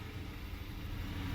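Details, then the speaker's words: Dodge Charger no-start, started after throttle body spray with flashing check engine light; rough, uneven stumbling idle, bad multi-cylinder misfire (P0300), fuel pump ruled out, later traced to broken camshaft. "i'm running did the fuel pump help get it started i don't know remember my initial burst it tried to start so maybe i just held it long enough to finally start but i have a bad misfire"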